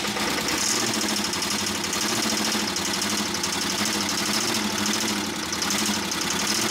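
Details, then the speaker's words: 1988 Camaro IROC-Z first started after 27 years stored, run on starting fluid at full throttle: harsh metallic clatter over a loud, strained engine, heavy engine knock; owner thinks the engine is bad, cause unconfirmed. "poor little guy this thing is definitely clanking away like none other"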